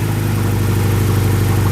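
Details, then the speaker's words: BMW E90 just restarted after running out of fuel: low, loud idle with an uneven, pulsing, limping beat rather than a smooth hum; rough idle that smooths out shortly after. "sudah hidup ya, tapi kayak pincang"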